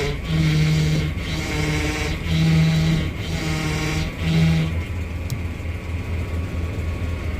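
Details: 1999 Dodge Dakota, engine running with fluid topped up while steering wheel is worked: low droning whine swelling in bursts about every second, pump starving for fluid; failing power steering pump, also leaking fluid.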